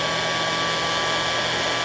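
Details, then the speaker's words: Restored antique Signal Type OB-4 oil can electric drill, rewired, oiled, greased, new brush cover, test run: steady even high-pitched motor whir, no grinding or rattle; runs smoothly, likely first long run in 40+ years. "Hear it pick up? I bet it hasn't run that long, in 40 years at least."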